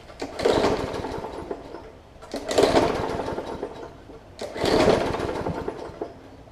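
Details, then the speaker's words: Hyper Tough Briggs & Stratton OHV push mower with plastic carb that sat over winter with water in the fuel and likely on the plug: three recoil pulls, each a brief pop and sputter that dies; sputtering start from water in fuel. "so you can hear it popping so there's a little bit of water that's probably in the plug as well so i'm going to continue to pull it it'll catch at some point"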